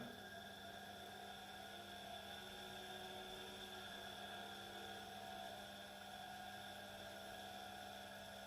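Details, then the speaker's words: Small 230 V single-phase AC induction motor, no load, on variac at 50 V after a push start: quiet steady electric hum with a faint whine rising as it speeds up, smooth and even; normal running. "all right now this does work you can hear it speeding up"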